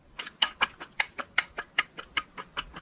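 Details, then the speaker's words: Factory Chrysler water pump removed from engine, shaft spun by hand: dry uneven clicking about four times a second, shaft moves up and down; bearing worn out, pump also dripping coolant. "And you can hear it. Listen to that. That bearing is toast in there. If you listen real close."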